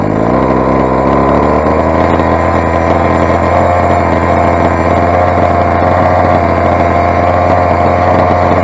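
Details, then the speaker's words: Rovan 45cc big-bore Chinese two-stroke, first run with modified exhaust header and stock carb: loud harsh buzz holding a high strained note without richening; running lean, owner says carb settings are way out. "it's quite obviously carb settings are white out I started out on stock 11 I was setting eleven out of seven settings so I'm just reaching it"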